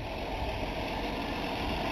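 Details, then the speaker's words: 1962 Ford Falcon, apparently 200ci six, just started after a long sit by pumping the carburettor: smooth even idle, low steady rumble, no ticks or misses — normal idle, runs like a champ. "There we go. Runs like a champ. Can't move it because it's got a flat tire, but she runs good."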